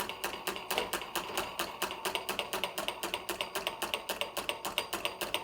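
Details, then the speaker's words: Amazon "perpetual motion" gadget, small engine with a plastic wall: fast, regular ticking that surges faster then slower; a burning smell, and the overheated plastic wall warped inward, binding and restricting the piston. "so the this wall right here is made out of plastic and the wall wared inward which like restricted the piston"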